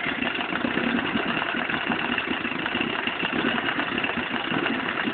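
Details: Vetrok-8 small two-stroke outboard, part 2: steady idle with a rough, rapid tapping through the buzz; engine knock, cause not pinned down.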